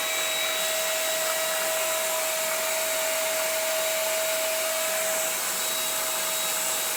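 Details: CECOR SD-15 Sump Shark with a battery conversion, running on battery power on the discharge setting, hose in the tank. Steady high-pitched rushing suction with a constant whine, no surging or rattles; vacuum motor running normally.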